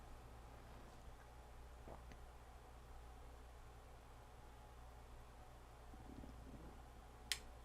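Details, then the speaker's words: Time delay relay on an old church bell-ringing circuit board, trigger voltage removed: quiet room, then one crisp single click near the end as the relay drops out on time; board working as designed. "There it did. It just clicked off."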